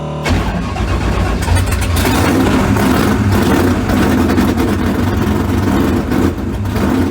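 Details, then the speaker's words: 355 small-block V8 swapped into the '57 (replacing the smoking 427), after adding about 8–10 degrees of timing by ear and touching up the carburetors: a firm, even lope with crisp throttle blips, no misfire. Normal idle and revving. "Just the carburetors a little bit, and they sound good now."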